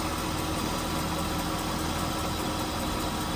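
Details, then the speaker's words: 2001-2006 Acura MDX idling after topping off low power steering fluid (foamy) to max: steady, even idle with no pump whine; noise was low fluid, now fixed. "There, no more power steering wind. So it's just low on fluid. So we topped it off, and now it's sounding okay."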